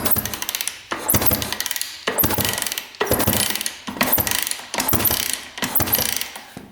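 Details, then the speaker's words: 1989 Honda CR250 two-stroke dirt bike that had been sitting, crank turned by hand before a compression test: slow even whirring strokes about once a second, no ticking or knocking, spins smoothly. "I just want to see if this thing spins smoothly feels really smooth foreign yeah that's really smooth I'm not hearing any ticking any sounds"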